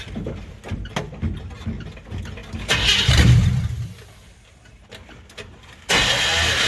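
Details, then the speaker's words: 1957 Chevy hardtop (LT1 Roadmaster frame/floor conversion project) being warmed up before an inspection trip; starter churns in uneven bursts with a brief surge that dies, engine turns over but never catches — cranking without starting. "all right we'll see if we can get her to fire up"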